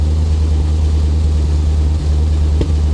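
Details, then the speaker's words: 1985 Chevy C4 Corvette V8 after engine work, with carb cleaner and WD-40 dumped in: deep, steady idle with an even beat and no stumble, running smoothly on all eight cylinders. "but look at this first time ever look how smooth that is so was it worth it absolutely"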